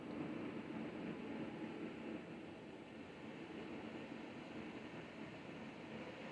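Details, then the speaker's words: Panasonic RG-C811A bath exhaust fan, temporarily mocked up before installation and run on its high-speed setting (110 CFM, 0.5 sone per the box). Takes a couple of seconds to spin up with a swelling, smooth whoosh and no rattle or hum: normal, quiet operation. "I plugged it in takes a second for it to come up to speed couple seconds all right you can hear it's increasing it's pretty quiet"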